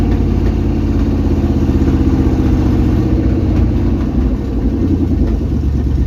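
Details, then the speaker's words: 1999 Chevy K1500 Suburban 350 (5.7) Vortec after new connecting rod bearings, catalytic converters stolen, almost warm, about 30 psi oil pressure: loud, steady idle with a deep rumble and a few faint irregular pops; normal idle with slight exhaust popping. "A little bit of bang poom pow there, but she's holding wind. That's a victory."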